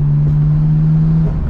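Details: R32 Skyline GT-R RB turbo engine on a road test after a temporary fix (blow-off valve was not the culprit; the coupler still needs replacing): a deep, strong drone holds steady under load then eases off, pulling full boost normally again.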